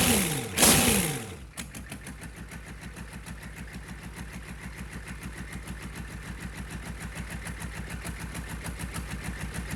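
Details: Rebuilt GEP/Navistar 6.5 diesel (GM design, block cast 2009; Scat crank, bored 30 over, moly pistons and bearings) with Stanadyne DB2831-4911 injection pump, warming toward 180°F; even idle clatter with regular pulses, no knocks, misses or hunting; healthy.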